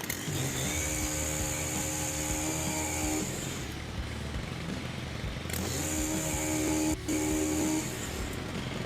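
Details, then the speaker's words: STIHL HT-103 two-stroke pole saw brought in with a chain that wouldn't move, now reassembled after repair: buzzes, drops off and revs again, sounding low and flat but the chain turns. "Sounding a little down now on here, but we are turning."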